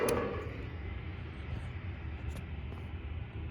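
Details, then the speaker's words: Mitsubishi Mr Slim ductless outdoor unit: one sharp contactor click at switch-on, then only low background hum and the compressor doesn't start; capacitor good, no shorts found, locked-rotor compressor suspected. "get a click but it's not starting"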